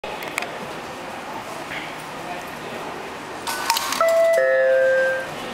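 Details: JR East automatic ticket gate at Tomobe station: ticket feeds through with a quick mechanical clatter, then a two-tone descending chime signals an overfare error when exiting past the paid station.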